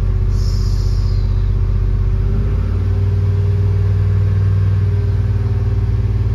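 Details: Chevrolet Tahoe at idle, tester reading just under 60 psi oil pressure versus 45 on the dash gauge: low, even rumble settling slightly lower, no knocks or ticks; normal idle, gauge off 15-20 psi, sending unit suspected.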